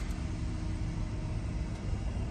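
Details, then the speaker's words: Engine on the highway right after refueling, having run horribly from running out of gas: steady low rumble pulling evenly under road noise, no stumbling or surging; power back, problem was fuel. "uh feels like it's kind of got its power back yeah it was gas holy smokes"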